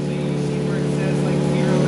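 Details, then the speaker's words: Lexus SC300 with JZ engine on new ECU Masters ECU, after setting ignition timing to 18 degrees to match actual; steady even idle, smooth low drone, no misses or knocks, sounds much different after timing change. "you you can hear how much different the motor sounds now as a result of changing that timing"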